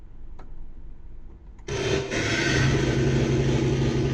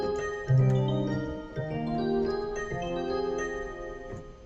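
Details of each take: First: Secondhand Yamaha SY22 synth: a loud droning, harsh foghorn-like pulsating tone with a hissy wash, present at power-on and worse when notes are played, less with some presets. It plays normally in test mode. Cause unknown; owner suspects the presets and hopes a factory reset helps. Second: Secondhand Yamaha SY22 synthesizer played in switch test mode: clean steady notes, no hiss or buzz; mod wheel and pitch bend work. Outside test mode a harsh pulsating foghorn-like noise returns; owner suspects the presets.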